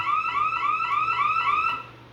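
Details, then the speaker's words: Bosch/Radionics 4012/8012 security panel demo with siren: fast repeating rising whoop, about four sweeps a second, cut short when silenced; panel went into alarm after the entry delay was allowed to expire. "There we go. So, that's what happens when we let the entry delay rung out."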